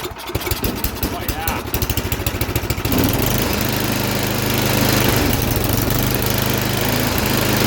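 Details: MTD snowblower sat about a year, gassed up with cleaner added, primed three times, choke on, throttle about half: a few rough pulls, then single-cylinder settles into a steady even drone, no misses; runs well, auger works.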